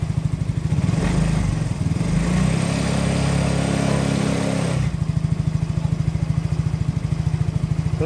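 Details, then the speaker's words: Yamaha Mio J fuel-injected scooter, brought in for hard starting, stumbling and stalling off throttle after an injector change, engine still cold: steady even idle about three beats a second with no misses; scanner shows compression starting to weaken. "putaran mesin langsam normal masih plus Kondisinya masih dingin"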